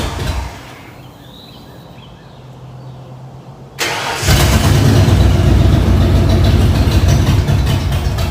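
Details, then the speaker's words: 1994 Ford F-150 after swap to rebuilt 302 V8 with new injectors, first start: quiet, then catches and runs rough and lumpy, stumbling about four beats a second; misfire from plug wires in wrong firing order. "now that you've seen that clip you see how when it started up it was just not running too good and uh i got it running and i kind of set it to the side because like oh there's probably a little wire there's something going on with it that's uh causing this problem"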